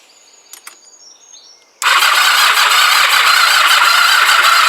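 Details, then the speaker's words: Kawasaki GPZ500S twin, rebuilt engine after a stator change, cranked again after tightening loose stator connections: even starter spin for about three seconds, no firing; still no spark, cause unknown, stator suspected. "no spark right um no idea why um don't even know what I'm going to do to try and address it"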